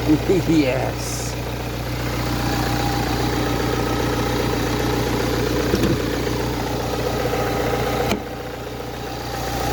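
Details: Ford Transit Connect 1.8 TDCi turbo diesel at idle after the work; steady even idle with a smooth low hum, the earlier nasty ticking no longer heard.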